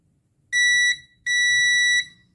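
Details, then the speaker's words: Ultrasonic device power board that blew its replacement fuse after suddenly cutting out: a multimeter continuity test on an NPN power transistor gives two steady high beeps, base to collector and emitter, meaning the transistor is shorted and burnt. "با بیس صدای بوغ داره پس اتصاله دوباره کلکتور ایمیتر بیس پس این ترانزیستورم سوخته"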